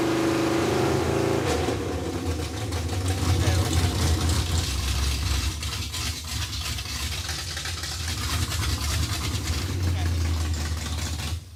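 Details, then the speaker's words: Junkyard Chevy Tri-Five with small-block V8, dual-plane intake, after getting it running: deep steady rumble with even beat, no knocks or misses; runs healthy. "It is fixed, dude. It's freaking thick. It sounds pretty good, too."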